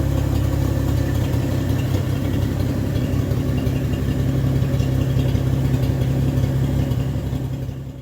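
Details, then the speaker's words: 1964 Chevrolet Bel Air six-cylinder after tune-up with new plug, exhaust ending at the manifold, a little smoky: low, even idle with steady soft beat, no knocks, misses or ticks; smooth and healthy, like a sewing machine. "since we tuned it up too with the new plug listen to that Idol all right she's a it's a little smoky and a little hazy in here but uh guys come on I totally should be high look it's like a sewing machine you know forget about it"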